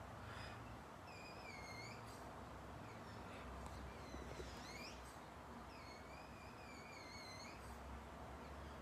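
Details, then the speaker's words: Pedal electric bike front wheel: a thin, wavering whistle-squeak about every 1.5 seconds with rotation as the plastic dust cover rubs the metal hub; a little oil fixes it. "It comes from this rubber here. It's a dust cover. It's used because it's a plastic. It's just rub against the metal and make the little whistle."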